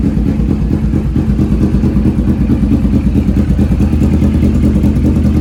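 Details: 2015-2020 Kawasaki Vulcan 650S twin idling right after an oil change: steady, even low thump, about two firing pulses a second, no knocks or rattles; normal idle.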